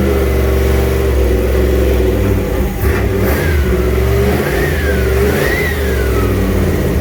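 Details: Junkyard 351W turbo V8 in a 1967 Mustang at first fire-up, new headers and wastegate, exhaust sticking out by the fender; loud lumpy idle swelling through uneven, ragged revs; runs but definitely needs a tune.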